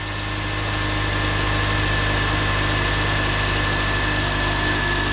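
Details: 2006 Honda Accord LX first start after replacing a dead starter motor: steady, even idle with a smooth low hum and no knocks, misses or rattles. Normal idle.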